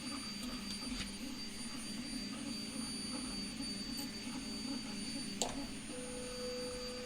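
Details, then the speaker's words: Anet A8 3D printer printing first layer: steady, piercing high whistle like a dental drill over low motor hum, from air through the part-cooling fan shroud; printer otherwise very quiet. "fan it was like a whistle effect from the uh the cooling shroud holy crap that sounds exactly like a dental drill"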